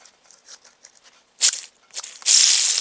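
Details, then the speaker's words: Drill press quill bearings (open type), pressed out because they were noisy and spun by hand: a dry, gritty rasp that swells and fades unevenly, the sound of a rough, worn spindle bearing; new bearings to be ordered. "bearings were um were noisy uh these are I was able to press everything out so here they are so I got the bearings out"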